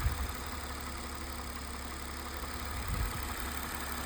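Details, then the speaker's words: 2006 Mercedes-Benz SLK280 with a crank no-start fixed by cleaning the ECU board contacts with a toothbrush: starts cleanly and settles into a steady even low idle; normal idle (owner notes it dies once warm). "Well, check it out. It's running."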